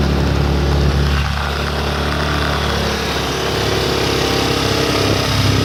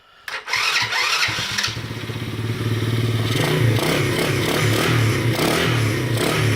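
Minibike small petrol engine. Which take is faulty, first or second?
first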